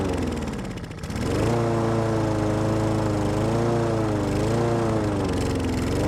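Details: Husqvarna lawn mower with a Honda engine that sat all winter with stabilized fuel and wouldn't start. After carb spray into the carburetor and choke, it catches and settles into a steady, even drone. Normal running.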